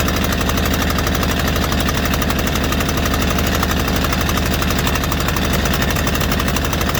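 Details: White Outdoor LT542G riding mower twin engine, on a cold shop day, runs with a dense, uneven chug of about four beats a second that never settles; it was also drinking gas and putting fuel in the oil. Cause: missing carburetor main jet.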